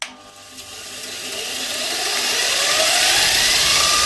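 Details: Bench grinder with a newly fitted linisher belt attachment, first run at full speed: motor whine climbs smoothly, belt runs even with no slap or rubbing; normal running.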